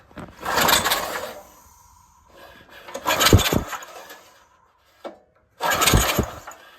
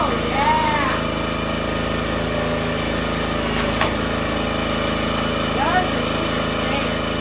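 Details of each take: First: Compression test on the log splitter's original small engine (bought $200), choke and throttle open: three slow, uneven cranking bursts with a breathy puff each stroke, air blasting back out the carb hole; almost no compression, intake valve likely leaking. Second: Brand-new minibike single-cylinder engine on a repowered $200 log splitter: steady even beat, then settles to a lower smooth note; healthy running.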